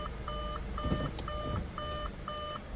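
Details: 2014 Audi A4 Quattro 2.0 L just after a timing chain replacement, with codes cleared and no check engine light. A clear electronic cabin warning chime repeats about twice a second over a quiet background.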